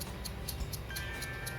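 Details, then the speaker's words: Shimano Vanquish 4000XG 2020 spinning reel: a faint, regular ticking about four clicks a second as it turns, persisting after oiling, from a line roller bearing whose inner race is corroded. "ini sudah kita kasih minyak masih ada suaranya"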